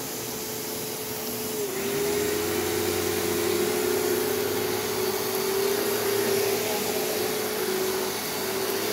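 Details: Secondhand bagged canister vacuum with handle suction control and a loose nozzle joint, working: a steady, even motor whine with a constant airflow rush, no rattles or pitch dips. It runs normally.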